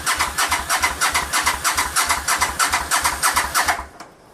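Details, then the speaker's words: 1985 Honda VT500 after a top-end engine rebuild, choke on, old spark plugs, sticking throttle: even cranking at about three pulses a second for nearly four seconds, sounds healthy but never fires; cause unconfirmed. "so it does not want to start up I am hearing the engine like it sounds good like it's trying to"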